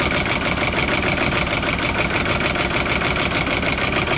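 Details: Audi A6 (C says S4) 4.2 V8 petrol, BAT engine code, chain-driven, 275,000 km, cold start: loud uneven clattering rattle over rough stumbling idle with misfires; owner suspects timing chain problem, not confirmed.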